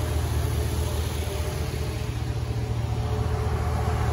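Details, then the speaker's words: 2015 Infiniti Q50 3.7L V6 after new NGK spark plugs, fresh oil and a K&N oil filter: low, smooth, steady idle hum with no ticks, knocks or stumbles; normal idle. "Getting ready to fire this thing up. Hear it run. Brand new spark plugs in it."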